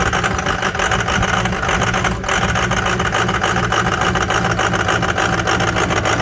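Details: Cold start of a Ford 6.0 Powerstroke diesel with some bad injectors: rough, uneven lumpy idle at about three pulses a second, with no steady rhythm as injectors misfire; an example of poor maintenance.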